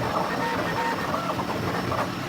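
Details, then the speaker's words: 16-inch Quality Superior pedestal fan that stopped working, on speed 3 after a hand spin: rough, uneven whirring with scratchy squeaks over the motor hum; dusty, dry motor bearings seizing, need lubrication. "yeah I think this does need lubrication so I'll open it up and I'll show you guys what to do all right so it definitely is these bearings"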